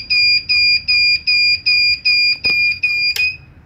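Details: Large 1000W pure sine-wave inverter (test 9) after a failed start of a 1/2hp motor pump: about eight loud shrill beeps, roughly two per second, with a click near the end; overload alarm.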